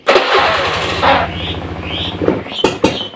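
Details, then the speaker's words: Serviced Honda Beat FI scooter with new fuel pump filter, cleaned throttle body, new plug and coil: catches, runs unevenly, stumbles and dies when throttle opens; worse when cold. "Hai pernah nih itu begitu saya Dash ini beatnya malah langsung mati rumah kita ulang lagi kita hidupkan kembali"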